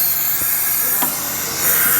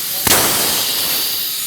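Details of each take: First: Tsunami Pure 5 regenerative desiccant air dryer on shop air, muffler removed during manual cycling; loud steady rushing hiss at discharge, louder than normal; inlet air leaking past a failed piston O-ring not blocking air in regeneration. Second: Tsunami Pure 5/Pure 10 regenerative desiccant dryer on shop air: one sharp blast then a long fading hiss as the tower depressurizes and switches back to drying, a normal switchover.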